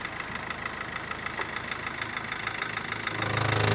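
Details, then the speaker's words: Mahindra Verito diesel idling, heard from under the car: a loose knocking that builds toward the end; the broken lower gearbox mount has folded back and strikes the body and steering box; the mount is to be replaced. "ആ mounting ഒടിഞ്ഞിട്ട് പുറകോട്ട് മടങ്ങി ആ ഒരു ബോഡിയിൽ തട്ടുന്നുണ്ട് അതെ steering ബോക്സും തട്ടുന്നുണ്ട്"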